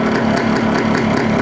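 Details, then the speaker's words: Yamaha RX two-stroke, idle set before full warm-up: turning the carburettor idle screw clockwise lifts the slide, and crisp steady popping sits at a higher fast idle; idle speed increases after adjustment. "if you turn it clockwise that would mean that these slide is going up you can hear there is a increase in the rpm"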